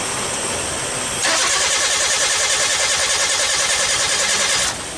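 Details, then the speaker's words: Nissan Sunny Y11 AD wagon after engine swap, intermittent crank no start, P0335 crank sensor code: starter churns evenly, about three compression beats a second, never fires; spark tester shows no spark. "the right we have it there we not getting no spot and uh it's plugged in so we got to figure out why we not getting no spot"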